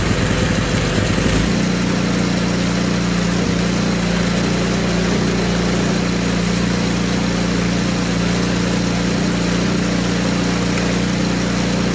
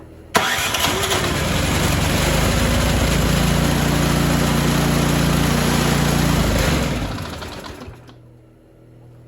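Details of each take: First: Poulan Pro 961980056 24-inch 208cc snowblower after carb cleaning, new primer bulb, fuel line and fresh gas: stumbles briefly, then settles into a steady, even run with no surging; running normally. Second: Poulan Pro 961980056 24-inch 208cc snowblower, won't start after sitting, given starting fluid and primed: cranks, catches, runs rough a few seconds, then dies; carburetor has debris and fuel has water in it.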